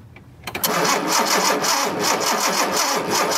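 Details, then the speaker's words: 1976 Datsun 280Z fuel-injected engine, spark tester on cylinder six: starter engages and the engine spins over evenly but never fires; crank-no-start with no spark, new spark plugs to be tried. "so a little confused as to why i'm not getting spark on that cylinder"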